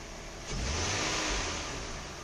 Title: 2003 Nissan 300GT engine knock/slap only when warm around 2k RPM